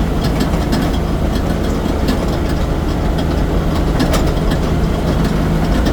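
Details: Heavy, steady idle with a fast metallic rattle ticking over the rumble throughout; something loose is rattling, source not yet pinned down.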